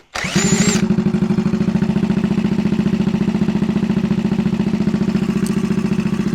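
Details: 1964 Honda Super Cub CA102 after full top-end rebuild: catches quickly, then settles into an even, steady single-cylinder putter, no misses; running well.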